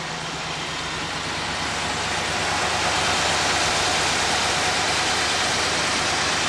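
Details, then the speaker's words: All-original 1966 Corvette with 63,600 miles, engine rebuilt in 1993 for unleaded fuel, at idle: steady, even V8 idle over a constant exhaust rush, no knocks or misses; sounds much better than when driven home. "Well, the car sounds a lot better than when I drove it home."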